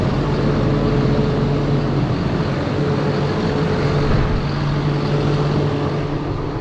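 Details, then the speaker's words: John Deere 7830 tractor diesel after replacing a seized VGT turbo actuator: steady even idle with constant low hum, no surging or misses; judged fixed. "we can safely probably say we got that fixed"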